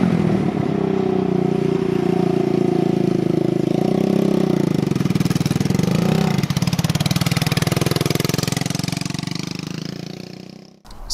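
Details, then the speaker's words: 150cc Yerf Dog shifter kart on first test drive, climbing and falling through the gears: rapid popping crackle on the exhaust, rough and uneven under load, low power; the owner says it is running super lean and backfiring. "uh two the engine is not running right it's running super lean uh so it's backfiring a ton and doesn't have that much power"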